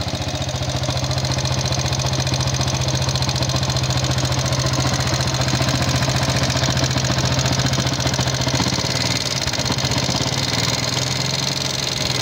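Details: Yamaha Jupiter MX King fuel-injected motorcycle with thin exhaust smoke, before engine teardown: rough, clattery "kletek" ticking rattle over a steady idle; significant wear of piston, rings, valve seals or guides suspected, not confirmed.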